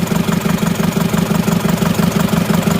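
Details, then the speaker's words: Isuzu Panther diesel, rough limping idle with severe shaking from cold start to warm; after delivery valve replacement, cracking cylinder 1 injector line leaves the uneven beat unchanged while 2 and 3 react: cylinder 1 dead. "Ini nomor 1 kita lepas tekanannya, tidak bereaksi sama sekali."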